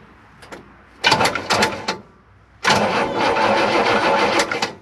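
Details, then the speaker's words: 1958 Chevrolet Bel Air 350 V8: two bursts of steady starter cranking, about four turns a second, spinning freely without binding but not catching; vacuum advance line missing, manual choke unhooked. Normal cranking. "a good sign that's a good sign that's a good sign okay so she rolls over"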